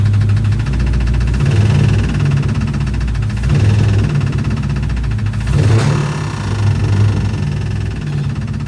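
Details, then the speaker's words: 2006 Chrysler 300 5.7 Hemi V8, bought cheap, just after first start: loud run with a sharp regular tick as revs rise and fall; owner suspects lifters or rockers, plans to pull heads, unconfirmed. "As y'all heard in the last clip, she is making a pretty hefty noise."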